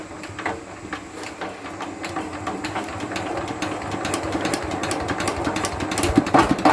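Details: Mitsubishi single-cylinder diesel after a repair for diesel leaking into the oil sump and white smoke (new pump plunger, pump valve and pump gasket): steady, even chugging of three to four beats a second, now running properly.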